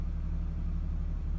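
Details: Nissan 350Z idling very low and near stalling, still in park and dipping in reverse, fan cycling on: deep rumble with a slightly uneven beat, no throttle. Owner suspects the throttle body or knock sensor; cause unconfirmed.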